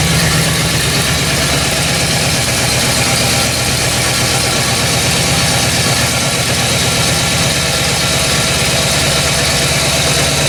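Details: 1969 Buick GS with a freshly refreshed big block (400/430/455), after timing correction: smooth, even idle with a steady lope and no stumble or misfire.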